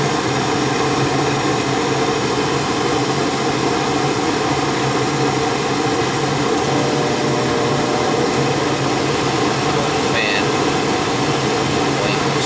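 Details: Gas furnace after the flame sensor was cleaned and the exhaust fan/blower assembly replaced, fixing no heat and a loud noise. A steady, even whoosh from fan and burner with a low hum and no rattle: normal operation.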